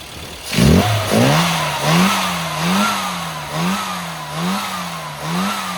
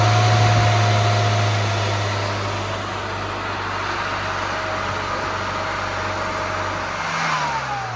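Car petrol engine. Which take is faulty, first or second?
second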